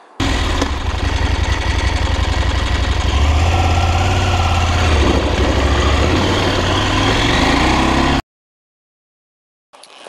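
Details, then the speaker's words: KTM 890 Adventure S, 105 hp parallel twin at idle: busy mechanical clatter over an even exhaust beat that sounds broken, but every KTM tested sounds the same; normal valvetrain noise. "the mechanical noise from the the engine it's it sounds like it's broken and i don't get it i don't get it and every ktm i have tested sounds the same"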